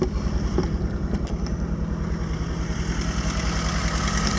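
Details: 1981 Toyota Tercel, carbureted, just jump-started from a dead battery: steady low throbbing idle, even pulses around three or four a second, no knocks or misses; warming up normally, owner suspects the carburetor causes occasional hard starts.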